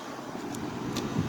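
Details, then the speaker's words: 2009 Haier window air conditioner: steady, even low hum with fan rush and a few light ticks, evaporator thawing, blowing cold air; normal compressor running. "So we're still gonna get it serviced eventually. After my little sister gets her second vaccination. Compressor is running nicely."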